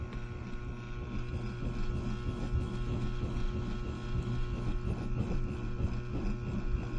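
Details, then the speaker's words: Raging wood stove fire starved of air: deep, rhythmic whooshing puffs about once a second, like a locomotive chugging, as it blows out the intake, chokes itself, then sucks air back in. "I don't know if you can hear it in the video but sounds like a locomotive taking Puffs chug chug chug chug"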